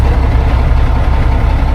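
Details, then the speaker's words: Mack tank truck, about a 1995 model with 122,000 on the odometer, started after sitting with new batteries and the dash disassembled. It has a deep, even diesel idle with no knocks or misses as oil pressure comes up. Engine sounds healthy, with a bad exhaust manifold leak. "It sounds really good. It's obviously still disassembled."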